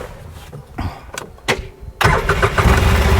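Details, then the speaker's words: Polaris Ranger that was getting harder to start, after fitting a new 385-cranking-amp battery (old one about 200): short crank, fires at once and holds a steady idle; strong, healthy start, charging system at 14.3 volts. "oh yes yes boy I like the way that fires up nobody will get stranded now down the road"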